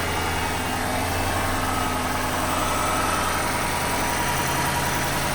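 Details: 2009 Chrysler 300C 5.7 Hemi at 60,000 km, idling: a light, quick ticking from the driver-side exhaust manifold, also present when hot; heat shield bolts are tight and the owner suspects a broken bolt.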